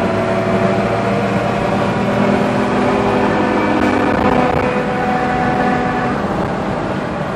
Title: 4runner strange noise